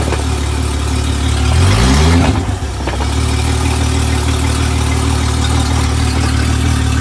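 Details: Honda 250 HP outboard on 21 ft boat, after fixing missing ground connection with jumper cable: brief rev settling into steady even idle hum in gear, no stumbles or misses; running normally.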